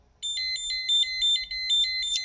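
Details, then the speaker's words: CyberKey electronic key inserted in a CyberLock: rapid run of shrill beeps meaning access denied, either out of schedule, no access to this lock, or the key has expired. "so that's tell the key telling you it's either out a schedule does not have access to this lock or the key has expired"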